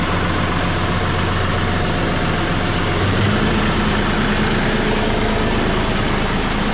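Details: John Deere 5067E/5045E diesel tractor right after fuel filter change and air bleeding: steady, even low rumble at constant pitch, no misses, surging or knocks; normal idle.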